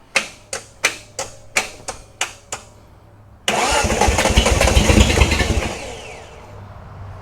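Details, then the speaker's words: 1971 Datsun 240Z during restoration, first start attempts after the spark plug wiring order was rechecked: about seven slow cranks, then it catches briefly, sputters unevenly and fades; fuel is only now coming out of the filter to fill the carb bowls, so it is starving for fuel. "We're getting fuel here, so it's coming out of the filter now. Good. It'll soon hopefully fill the bowls."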